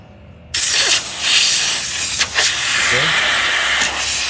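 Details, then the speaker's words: Refrigerator not cooling despite freon refill, suspected blocked refrigerant line; capillary tube cut to check for evaporator leak: sudden loud, steady hiss of pressurized gas escaping. "sini sudah ada udara ya yang keluar kemudian"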